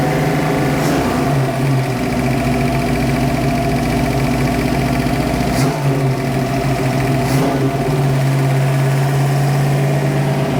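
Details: Freshly built 347 stroker V8 in a 1966 Mustang Fastback (T5) on first start: a brisk, even idle sitting a bit above where it should. The idle screws on the carburettor need adjusting down.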